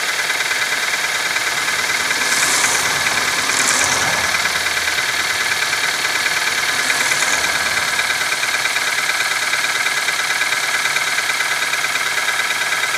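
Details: Nissan QG18DE engine, cold: loose, uneven knocking about three times a second over the cold idle; knock when cold, cause not determined.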